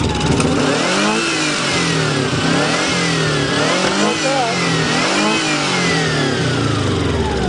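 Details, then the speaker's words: 1990 Subaru Legacy, first start after sitting two years with missing parts replaced: revs wander unevenly and won't settle, sounds like it is not running on all cylinders; rough running. "she ain't running on all the cylinders is she it sounds funny"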